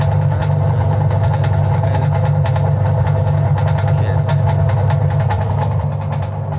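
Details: 1984 Frania SHL impeller washing machine after capacitor replacement, motor test: steady low even drone, no knocks or grinding; motor spins up and runs smoothly.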